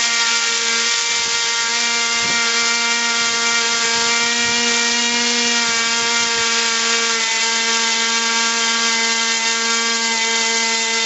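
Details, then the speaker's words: RC airplane glow engine at full throttle after mixture adjustment: steady piercing high whine, even pitch, no surging; a high-and-low double pitch means lean, backed off to correct mixture. "bit right there you should hear almost two pitches a high wine and intermittent low pitch and that's starting an RC engine"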